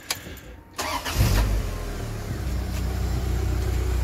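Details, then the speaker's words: Project Beatrix after reconnecting the module and the fan switch plug that had left the fans running nonstop: a brief crank, then the engine catches cleanly and settles into a steady, even idle with the fans silent; running normally, short cause unknown. "she is back to living life thank God for that and the fans have shut up"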